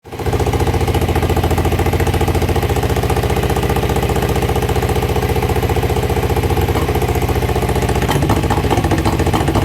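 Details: EX500 twin at idle: an uneven, stumbling beat with missed pulses in the rhythm, the sound of a cylinder misfire.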